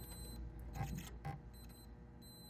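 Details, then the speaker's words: Williams System 11b Black Knight 2000 pinball lamp matrix: logic probe on a transistor suspected of bad solder pads. Short, regular probe chirps pulse steadily with no dropouts, so the signal is switching as it should. "So I've got this transistor hooked up to this logic probe, and it's blinking like it should. That's the way it ought to sound."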